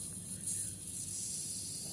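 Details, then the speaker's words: Semi-inverter refrigerator, unit off, rear cover removed, charging pipe cut to check refrigerant: only a thin, faint hiss of very little freon escapes, confirming the system has leaked and is low on charge. "Oke, di sini sepertinya ada keluar gas freon namun sangat sedikit ya. Oke, berarti memang mengalami kebocoran pada sistem."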